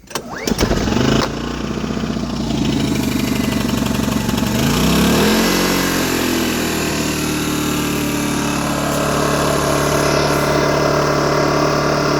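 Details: Brand-new, just-unboxed Polaris digital inverter generator on its first start with the choke on and a fuel pump: it cranks a few times, catches, then settles into an even, steady idle with no misses or knocks; normal start and idle.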